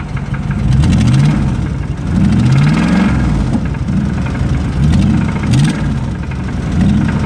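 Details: 2005 Ram Hemi V8 blipped up and back to idle: dull, uneven knock under the revs that rises with engine speed; rod knock from the bottom end.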